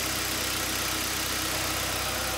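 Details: Hyundai Elantra G4FC engine, first start after reworking a previous mechanics' rebuild that knocked hard and used about 2 litres of oil: steady, even idle with a low regular hum and no knocking or tapping. It runs smoothly.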